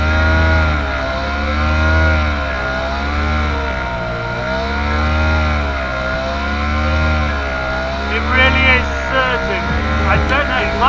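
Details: Johnson 4 HP twin-cylinder two-stroke outboard under way at about 10 mph: drone rises and falls every couple of seconds, hunting rather than holding steady; engine surging, owner suspects it is running out of fuel.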